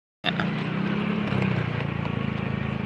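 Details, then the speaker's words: Yamaha Mio Soul scooter ridden under throttle near 110: steady low humming drone that is very loud when accelerating; previously it droned only off-throttle, and it is better than before. "ini bunyinya kalau ditarik Hai Kalau kemarin kalo lepas gas baru bunyi cuma kalau ditarik bunyinya kenceng banget"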